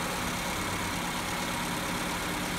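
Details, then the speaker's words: Petrol car with electronic idle valve, no fault codes on OBD and no intake or vacuum-hose leaks found; steady raised idle that never drops. High idle. "Bu şu Ardan abone ol ve herhangi bir hata kodu da gözükmüyor Fakat rolantisiz çok yüksek gördüğünüz gibi bu tekrardan gelelim bu"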